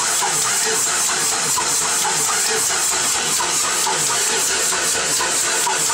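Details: 1995 Ford 7.3 Powerstroke diesel: starter churns at a steady, even rhythm and the engine turns over freely but never fires or catches; cranks, no start.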